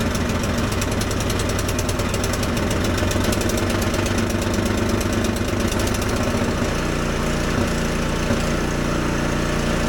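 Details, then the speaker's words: Husqvarna ST124 24-inch snowblower with 212cc engine, which the owner says is set very lean from the factory: engine speed surges up and down with rapid irregular exhaust pops. "well, as you can see, she is running. You can still hear the popping noise."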